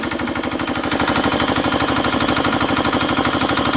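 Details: 1960s Petter AA1 diesel driving a belt compressor, first run after sitting unused a long time; steady even thumping about three beats a second, belts running true with no slap or squeal, normal running.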